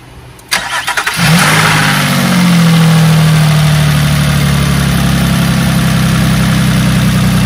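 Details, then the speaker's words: 2006 Nissan Murano with a cylinder 2 misfire, after a new coil pack and recent plugs: short crank, catches cleanly and settles into a smooth, even idle with a steady low hum, then a light rev; runs healthy. "Fired right up. Give it a little bit of a rev. So check engine lights. Sounds healthy."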